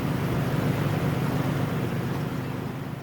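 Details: 2002 Nissan Xterra at first start-up after valve cover gasket replacement with new grommets: smooth, even engine hum with a steady low beat, no ticks or misses; sounds healthy.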